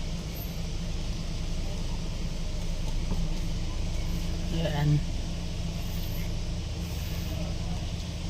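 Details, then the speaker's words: Hyundai Grand Starex after replacing the noisy, stiff power steering pump assembly and pressure hose and bleeding air: steady low idle, no whine or groan, pump now quiet, normal. "mga Sir good na siya Ah wala na rin ingay"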